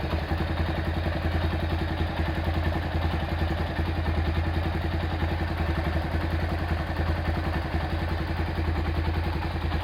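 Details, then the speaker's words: Honda Tiger Revo engine, hot: light, even ticking about three to four a second over steady single-cylinder idle from the head; quiet when cold; worn valve stems and loose rocker adjustment; oil seeping, engine to be rebuilt. "Ini masalahnya kalau dingin suaranya halus, kalau panas seperti yang kita dengar tadi. Di bagian head ada suara ngelitik sedikit ya."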